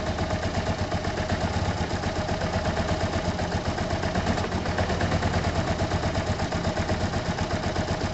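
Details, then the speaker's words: Yamaha TMAX after carburettor clean and jet check: engine sits at steady, slightly uneven idle with light clatter and won't take any revs; idle only, cause not confirmed. "Won't let you put any revs at all."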